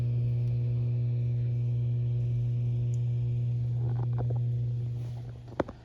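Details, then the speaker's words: Randall RG100ES vintage high-gain guitar amp, powered on with volume all the way down after power cord, op amps, transistors and output jack were replaced to reduce hum: steady low hum only; normal low residual hum, acceptable. "You know, this is the volume all the way down. Not super bad, you know."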